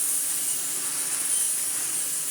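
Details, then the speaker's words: Restored 1960s American Electrolux Automatic G vacuum with the straight suction head, normal vacuuming. A steady, smooth rush of air over an even motor hum with no flutter or whistle; strong, healthy suction. "If we just put the PN1 out of the way for a second, for just normal vacuuming, it is lovely. Hear the airflow."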